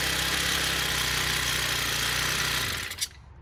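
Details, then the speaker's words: Honda four-stroke string trimmer after sanding carbon off the spark plug electrode gap that blocked spark: small engine buzzes smoothly and evenly at steady high speed, then winds down cleanly; normal running. "so that's why I wasn't getting spared but after cleaning that with a little sandpaper swipe it off and she started right away okay that was easy fix"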